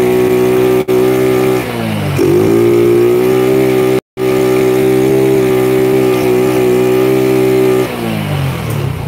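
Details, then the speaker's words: Honda Grand (about 100cc) with a rebuilt engine and new carburetor: revs climb under throttle, then hang at one flat pitch and won't go higher. Electrical/ignition suspected, not confirmed; engine will not rev past limit. "Nah, kalian bisa lihat sendiri, ini motor itu mentok digas, gitu kan?"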